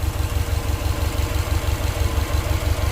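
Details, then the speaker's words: Subaru WRX STI idling with the AC on after the seized, stiff pulley was replaced and the belt re-tensioned: smooth, steady low pulse, much quieter than before, with no squeal or bearing noise. "Sounds like it's pretty quiet, better than before. I got the AC on. It's a lot quiet now."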